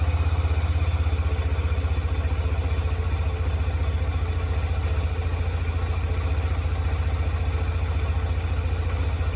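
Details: 2007 Yamaha YBR125 after fitting an upgraded KEMSO fuel pump (it had kept overheating in the sun), fuel primed: steady single-cylinder putter at a settled idle, even beat with no misses, knocks or rattles; engine running normally.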